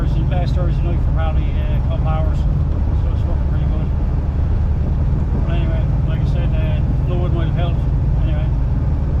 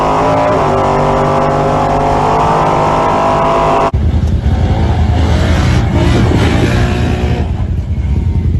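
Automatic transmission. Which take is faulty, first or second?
second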